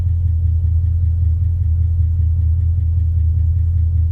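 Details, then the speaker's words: Car started after sitting about three months outdoors in winter, oil pressure just under 50 psi, temperature gauge not yet moving: steady, even low idle rumble with no knocks, misses or rattles; runs smooth and healthy. "Boy, this thing sounds good. Man, I love it. I just love this car."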